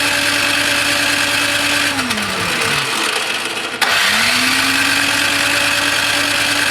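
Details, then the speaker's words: Toro Power Clear 621E snowblower, 163cc OHV four-stroke single, old stabilizer gunk in bowl, leaking carb: steady starter whir spinning down and up with no firing; crank no start, main jet later found completely clogged. "that's fun yeah it's going to take more work than this"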